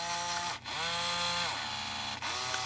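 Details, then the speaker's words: JRL R/C Dodge Viper RT/10 with Prowler controller: buzzy whine in short bursts while the steering doesn't move, servo straining, something suspected missing inside; it began to smoke. "I put the will in it it's not a whining you can hear it trying to turn it but there's something missing inside"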